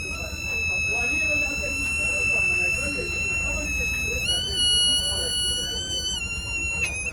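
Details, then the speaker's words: Fluke 116 multimeter that won't power on, fed from a 9 V battery, with no visible damage: a thin, steady high-pitched whine that jumps up in pitch when switched on, then steps back down; the meter still doesn't turn on, cause unknown. "Now if I go ahead to switch it on, it changes sound, but it's not coming the fuck on."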